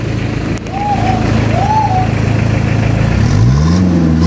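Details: Mazda Bongo R2 diesel after its injection pump was converted from electronic to manual: it runs steadily, then revs climb cleanly and hold with an even beat, no knock or misfire; sounds healthy.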